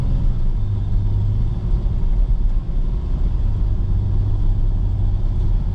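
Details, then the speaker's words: Nissan Xterra road test at 60 mph after replacing the worn-out differential: even low road rumble with no whine, hum or clunk from the rear axle, much quieter than before; differential healthy. "So doing 60, no noise. Oh yeah, it's so much quieter, so much better."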